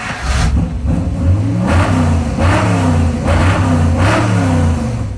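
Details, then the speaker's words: Mopar Muscle truck V8, after refitting the old ECU in place of the new faulty one: V8 blips up sharply several times and drops back cleanly with no popping or backfire. "I told Steve put the old ECU back on like the one that's bet on the truck for 30 years not the one that we just bought today yeah and sure enough it fixed it"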